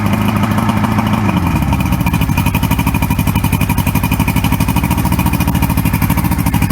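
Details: 1994 Suzuki 115 two-stroke outboard, which used to stall and fail to start after sitting, fires up after an overnight Sea Foam soak and settles into a steady, even idle with no misses.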